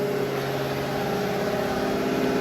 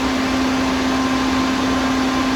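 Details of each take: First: Used Hydrovane VSD rotary vane air compressor running slowly at pressure, near unload: steady, even motor hum with a clear mid tone and no knocks. It may not be fully unloading; a new pressure transducer is planned. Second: Used Hydrovane VSD vane air compressor, 25 horsepower at top speed (10.5 hp at lowest): steady heavy rush with clear hum that drops out near seven seconds; running at full speed.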